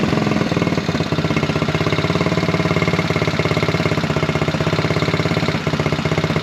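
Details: Buggy single-cylinder after air-filter foam work on the carburettor setup. A fast, even thump with no pops or backfires breaking the rhythm. It no longer backfires and seems to take its revs. Normal running.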